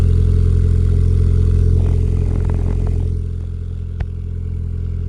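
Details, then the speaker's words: Suzuki Swift ZC31S with freshly rebuilt turbo engine and TM exhaust on cold start, water temperature about 6–7°C, recorded at rear by exhaust: steady even low burble at idle, no knocks or misses, good oil pressure; normal cold idle. "So on a cold start, she's literally pretty cold, but it does heat up quite quick, see?"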